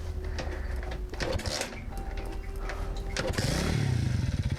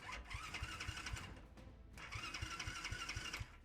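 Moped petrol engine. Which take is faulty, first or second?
second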